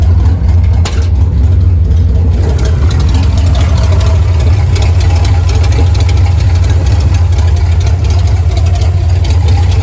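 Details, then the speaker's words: Carbureted car with ongoing fuel pressure problems has a deep, lumpy idle with uneven pulses. Owner says it's starving for fuel and doesn't know why; he plans a new fuel filter and carburetor clean. Rough idle, cause unconfirmed. "yeah that brother starving it's in his fuel start I don't know what's wrong with it I have no idea"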